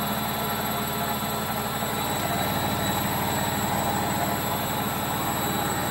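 Steady deep roar through the spin with a pulsing rumble about three times a second, the sound of worn drum bearings.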